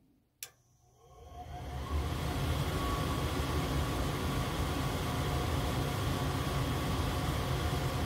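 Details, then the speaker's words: Goodman gas furnace that won't heat, showing 3 red blinks: the inducer motor hum spins up and holds steady, but the main blower and burners never come on. Pressure switch stuck open due to a clogged inducer port. "you hear this motor is turning on, but nothing's going on."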